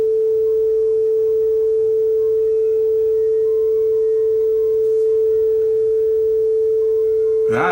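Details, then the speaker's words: Yamaha K520 cassette deck test tone with speed being adjusted right on the money: pure, steady pitch with no wow or flutter. "we're not going quite the right speed yet we'll fix that but gone is that ugly flutter or that ugly wow"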